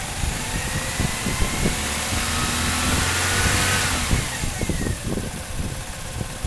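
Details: 1997 Chevrolet Cavalier, P0300 random/multiple misfire: rough, uneven idle with irregular stumbles. A bad ignition control module was firing only one coil pack; new coil packs changed nothing, and replacing the ICM fixed it.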